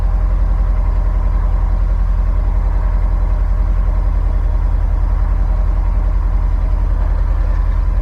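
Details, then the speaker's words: Subaru STI boxer engine with 5,300 miles, after exhaust install and new transmission parts: steady even low burble at idle, no knocks; only normal slight injector tick; healthy. "for reference this car sounds nice and healthy and mileage on the engine 5 300. 5 300 miles on the engine she still sounds healthy nothing crazy normal uh injector tick got a little bit of build up in there sounds good runs good"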